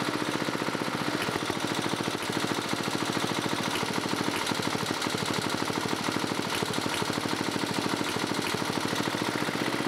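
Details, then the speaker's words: 1987 11HP Briggs & Stratton single-cylinder with electronic ignition, running after a carburetor swap to an old red carb: fast putter with a faint deeper knock underneath, which the owner thinks is slight rod knock; engine also smokes, otherwise runs well. "Well, guys, it runs. Seems like it's got a little bit of a rod knock, though. But other than that, it seems to be running pretty good."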